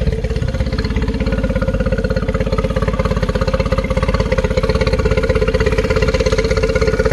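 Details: 2013 Yamaha 9.9 four-stroke outboard on garden-hose flush, after rough-running diagnosis: steady, even putter at about 200 beats a minute, no misses or stumbles; clean idle measured at 800 rpm.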